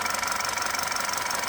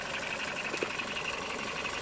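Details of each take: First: Ex-police BMW G31 5 Series Touring idling on battery with accessory belt removed (no alternator, water pump): steady even pulse, no whine, much quieter than before; whine suspected from alternator under load or water pump. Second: Ex-police BMW G31 5 Series Touring, high mileage, first start after coolant top-up: idling with light quick ticking fading in and out, intermittent tap from underneath the engine; owner doesn't think it's rod knock, cause unknown.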